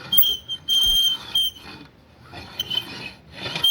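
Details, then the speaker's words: Pioneer XDJ-XZ, bought secondhand about a year ago: jog wheel turned by hand gives high, thin squeaks in short bursts, with a terrible sticking feel and no free spin; owner suspected a spilled drink or worn grease, roller wheels found knocked out of place. "So the jog wheel has this really terrible sticking feeling and it doesn't really spin freely."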